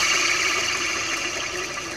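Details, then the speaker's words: 1995 Ford F-250 4x4 idler pulley, worn plastic, spun by hand: dry, gritty hiss slowly fading, bearings very dry with little play; likely cause of a chirp on cold morning starts. "those bearings in there sound extremely dry although there's not really a whole lot of play in here so from that perspective they're in good shape but that's probably what's making my chirping sound in the morning"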